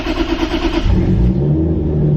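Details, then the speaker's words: Toyota Supra, previously with electrical/fuel issues and possibly suspect fuel pumps, starting on first try without clutch, then settling into a deep, uneven idle with a loud rough exhaust drone. Owner says the noise is his exhaust, to fix before cruise week. "That sound is my damn exhaust. It's another thing I want to fix before cruise week."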